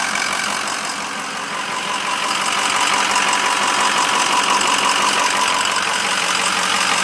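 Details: 2006 Ford 6.0 Powerstroke diesel idling with a steady light knock about three times a second above the clatter; engine knock of unknown cause.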